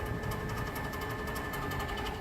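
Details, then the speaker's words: A different, unrepaired HVAC unit at an old schoolhouse, the one making all the noise. Steady hum with a faint high whine and rapid light rhythmic ticking; the cause is not confirmed: noisy condenser fan. "So this is the one that was making all the noise."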